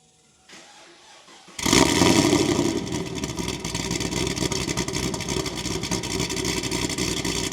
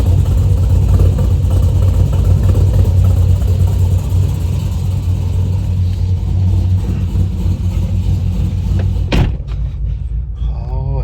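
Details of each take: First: 2010 Camaro SS with long tube headers and stock mufflers: loud fast idle with sharp ticking on each exhaust pulse; header leak suspected, mufflers to be fitted. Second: 2010 Chevrolet Camaro SS with long-tube headers after fixing a header leak, driving under load: deep, even exhaust drone with no ticking; exhaust sealed and healthy.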